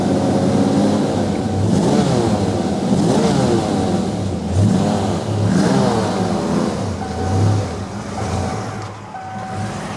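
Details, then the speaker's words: Barn-find 1990 Ford Mustang GT V8, first running after 30 years stored: revs swell and fall cleanly, then even steady idle, now firing on all eight after previously not; likely fuel needed to reach the engine. "It is idling on its own and it sounds like it's running on all eight now, which it didn't originally."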